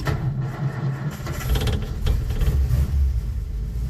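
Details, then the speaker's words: Old Nash four-stroke car, AC fuel pump with cracked glass sediment bowl replaced by a fence post cap, booster on battery: cranks, catches briefly with low uneven chug, then dies; fuel starvation, pump lost its prime. "Oh, just not getting fuel. What's up with that?"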